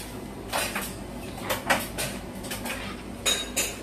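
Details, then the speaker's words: Samsung 9 kg heat-pump clothes dryer running on strongest setting: scattered light metallic clinks over a quiet hum, only zippers and buttons hitting the drum; no abnormal machine noise, very quiet. "Cái tiếng học thứ là tiếng máy do cái khóa nó đập vào còn đây mình đang chính xác vào cái phần của máy hoàn toàn không có âm thanh lạ phát ra"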